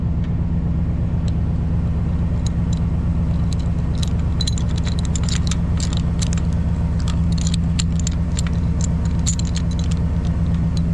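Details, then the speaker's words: Driving a bumpy gravel road before fitting an anti-rattle hitch clamp: steady road rumble with irregular metallic clatters and jingles over bumps. The loose hitch shank is sliding back and forth in the receiver sleeve. "so when i'm traveling along the uh hitch here slides in and out of this bracket this sleeve makes all kinds of noise it slides forward and backwards and it's just a really noisy noisy ride"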